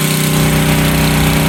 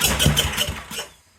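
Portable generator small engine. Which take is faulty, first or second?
second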